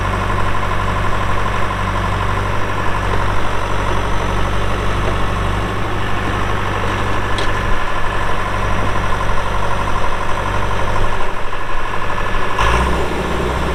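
Deep, steady diesel rumble holding an even idle throughout, no misses, knocks or hunting; healthy dozer engine.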